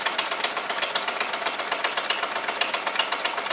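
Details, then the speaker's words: Homemade solenoid motor built from weed whacker crank and case, magnets in a 21 mm tube piston, gudgeon pin screw left undone: sharp metallic clacks about twice a second as the loose pin scores the barrel wall. "I forgot to do up the GS and pin screw but um anyway too late now it's G the side of the barrel as you can hear"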